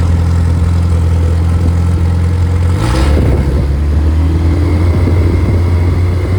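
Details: Rebuilt Triumph Spitfire 1500: shaved head, larger intake valves, 270 cam, flat-top pistons, double valve springs, duplex timing chain, new bottom end and bearings, compression over 180 psi; steady idle, picks up cleanly on a blip and settles smoothly, no knocks — normal running.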